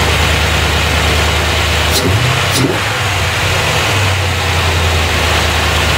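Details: 1990 Corvette C4 V8 first start after head gasket repair, reworked heads, valves adjusted, new fuel pump; timing being adjusted, smoke present: quick rev blip then steady even idle, no missing beats; all cylinders firing, normal idle.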